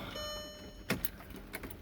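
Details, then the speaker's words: MK4 Golf/Jetta 1.8T GTI with a newly installed DeatschWerks DW65C uprated fuel pump, fitted after top-end misfires under boost: a steady electric hum from the tank at key-on, then a few clicks; it started straight after: normal fuel pump priming. "so all right so I can hear the fuel pump priming it's always a good sign"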